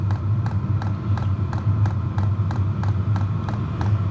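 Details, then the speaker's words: Diesel heater about 2 minutes after starting, fuel pump and fan just kicked in, running wide open with full burn: steady fan roar with a crisp, evenly spaced fuel pump tick about three times a second; burning cleanly. "There we go. She's running wide open now. Got a full burn"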